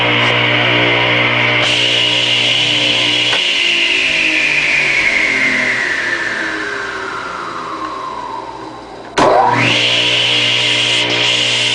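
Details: Craftsman 8-inch direct-drive table saw motor, model S48BRK-1820, 120 V 7.8 A 3450 rpm single-phase, run installed in the saw: a high whine falls slowly in pitch as it coasts down, then it switches back on and climbs smoothly to speed; normal motor run.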